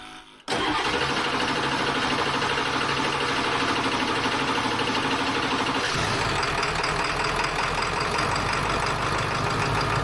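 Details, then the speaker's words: Ford F350 diesel dually after repairs, with air still in the fuel system and possibly low on fuel. The starter churns steadily for about five seconds before the engine catches and settles into a rough idle. "apparently there's a lot of air in the system yet and it still takes a while to fire"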